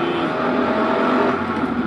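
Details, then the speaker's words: Daily driver car while driving: a steady, loud whining hum over engine and road noise, which the owner attributes to the clutch throwout bearing, a cheap fix planned before winter. "the clutch and the throwout bearing. That's what's causing the really loud, disgusting sound. And like I said, that was the $50, $60 fix."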